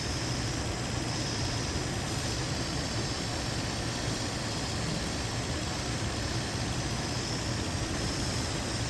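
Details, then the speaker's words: 2003 Infiniti G35 after coolant crossover pipe and spark plug replacement, warm after 20 minutes running: steady idle with constant thin hiss near the PCV valve; vacuum leak, likely PCV valve O-ring, fixed by tightening the valve. "Got what sounds like a vacuum leak right around this right around that PCV valve."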